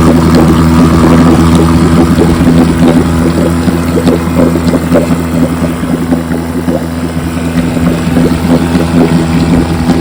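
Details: 1957 Johnson 5.5 HP outboard on a 5-minute test run after conversion from a dual-line pressurized tank to a single-line tank with a pulse-driven fuel pump: even, steady two-stroke buzz with crisp firing and no misses or knocks. Normal running.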